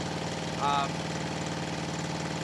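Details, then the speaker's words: 1974 Honda CB350F revived after sitting 20+ years: lumpy idle running on three cylinders, with cylinders 1, 2 and 4 firing and spark on all four. Number 3 carburettor gets no fuel, since sprayed fluid ignites instantly. Misfire from a carb fuel blockage. "on three cylinders seems like number three carburetor is not getting fuel when we spray fluid in there it ignites instantly so it's definitely a carb issue there"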